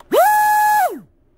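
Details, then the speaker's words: XTeam 2440 4500kv inrunner brushless motor with a Sea King 40A water-cooled ESC, given full throttle straight off. It snaps up to a steady high whine faster than the outrunner, then coasts down cleanly; healthy motor. "so it actually sounds like it's like got up to max rpms faster than the out runner motor"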